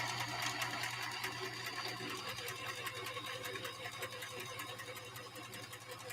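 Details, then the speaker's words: Sewing machine at first run after unboxing: fast even ticking of the needle mechanism over a low motor hum, no scraping or grinding; fairly good condition, though an odor comes from the motor at the rear. "The machine, all in all, sounds like it's in fairly good condition. It doesn't sound like I'm hearing a lot of metal to metal."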